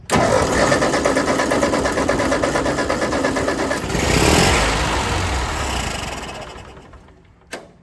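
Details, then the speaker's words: Ford 8N tractor with reinstalled carburetor whose float still sticks, weak starter Bendix: engine catches and chugs a few seconds, then fades and stops with a clunk; won't keep running, carburetor still faulty. "Carburetor still bad. Try it again. Crank it up again. Still carburetor. So there we go. We still got issues with the carburetor."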